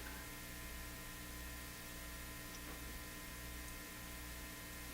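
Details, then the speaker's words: National HRO Sixty communications receiver, previously modified, powered up with signal generator injecting a 1,000 Hz tone: steady low mains hum with faint hiss, no tone heard; audio stage works but nothing received yet. "Okay, so hear the hum. I think we're in business."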